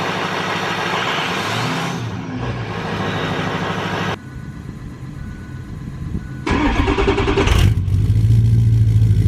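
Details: 2007 Ford F-250 Powerstroke diesel, first start after MBRP 4" cat-delete exhaust install with all clamps snugged: cranks, catches and settles to a deep even idle, then revs cleanly with no ticking or puffing from exhaust leaks; healthy start and rev.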